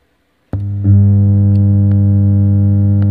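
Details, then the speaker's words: Lavega Plaza active speaker powered on: loud, steady low drone with no program sound; owner reports only humming, fault suspected in the amplifier section, not confirmed. "dia teman ya suaranya mendengung kita matikan saja kalau suara mendengung ini teman-teman jangan menghidupkan Terlalu lama untuk powernya"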